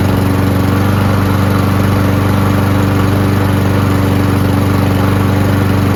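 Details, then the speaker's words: Free Cub Cadet mower, likely MTD Powermore engine, after spraying starting fluid with choke closed: steady even drone about four beats per second, no stumbles; carburetor seems clean, just needs a prime. Normal running. "How about that, huh? Carburetor seems to be clean. Just needs a prime."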